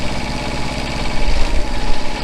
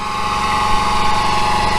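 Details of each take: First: Truck generator set after a new generator head and a smaller aftermarket pulley. The head runs at 3,600 rpm and the engine at about 1,950 rpm. Steady, quieter low rumble with the squeal gone: normal running. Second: Truck's small-engine generator before replacing the generator head: steady high whine near 1 kHz over the engine's idle rumble, started about a month ago; owner attributes it to the generator head.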